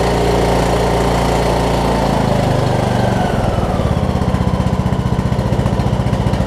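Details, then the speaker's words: Craftsman T2200 riding mower, 5-6 years old, 19 hp Briggs & Stratton, after cleaning gel-gummed Nikki carburetor that caused surging: even, steady low thump with no hunting or surging; normal idle. "just gonna let it do its thing for a few minutes make sure it doesn't start surging again"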